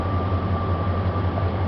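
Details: 1999 Dodge Ram 1500 5.2 (318) V8, came in no-start and intermittently rough, scoped at crank sensor: steady even low rumble with constant hum at idle, no misses; running smoothly, coils looking good at this moment.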